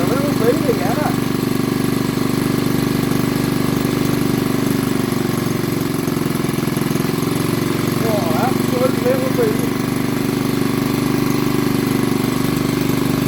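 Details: Old BSA 50cc single-cylinder engine, first run after years sitting under a bench: even low putter about two and a half beats a second, steady at idle; sounds healthy.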